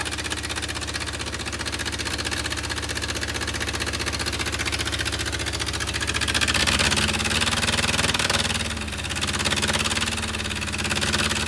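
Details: Willys CJ2A Jeep, first run with no coolant flowing through the engine: low steady idle with a slightly uneven beat that wavers partway, running a bit rough; owners say idle adjustment is off.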